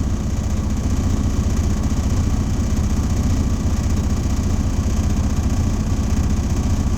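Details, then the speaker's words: Diesel truck during a CDL in-cab/air brake test, held at raised idle while the air compressor builds pressure toward governor cutout. Deep, even diesel drone with no knocks or misses; running normally. "So now it's almost to the governor cutout. I'm gonna let it out."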